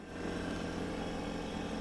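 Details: Worcester Bosch combi boiler after Nest thermostat installation: quiet, steady one-pitch hum with no cycling or clicks as the boiler still runs its normal post-shutdown overrun.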